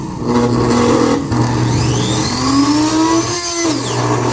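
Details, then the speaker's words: Oster auto-reversible blender after control board repair, new brushes and maintenance, running at top speed and reverse: pitch climbs smoothly to steady high whine, dips and recovers, no grinding; normal running. "Entonces, por lo tanto, ya quedó reparada la tarjeta y la licuadora."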